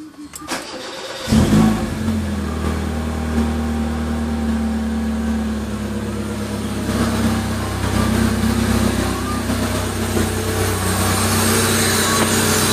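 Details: Mazda Familia 323 that runs with its MAF sensor disconnected: starts after a short crank and settles into a slightly uneven idle with a faint hiss. Owner suspects a vacuum leak.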